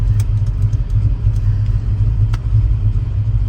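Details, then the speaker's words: 1966 Shelby GT350, four-speed T10, fresh 289 HiPo stroked to 331 with forged crank and pistons, starting inside before a test drive: deep, even V8 rumble settling straight into a steady lope without stumbling. Normal start and idle. "let's go for a test drive car starts right"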